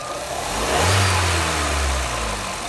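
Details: Jeep Renegade 1.8 E.torQ, quick throttle blip while testing the purge (canister) valve, suspected cause of rough idle and hard starting; note rises cleanly and returns to idle with no stumble, revving unchanged by manual valve test.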